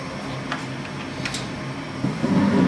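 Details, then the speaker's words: Gas furnace that had been cycling on and off, after the flame sensor was cleaned with sandpaper: quiet blower hum, then a soft whoosh as the burner lights and keeps a steady roar without cutting off; normal ignition after the fix. "That's the flame. Now normally, that flame sound you had heard would have cut off. You hear it? So it's worked."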